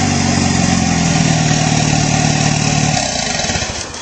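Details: Mitsubishi Starion G54BT turbo engine run with no downpipe fitted, as a loudness test: a very loud, raw, rasping drone with a steady low tone, the exhaust dumping straight out after the turbo.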